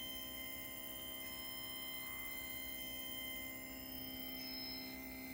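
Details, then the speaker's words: PrimaLuce Lab Sesto Senso 2 focuser on a William Optics 132 FLT, driving back to zero position after reset: thin steady high whine of several pure tones with slight pitch wobble; abnormal motor whine persisting after four reinstalls, cause unknown. "But this noise has been really annoying, and I've installed this focus."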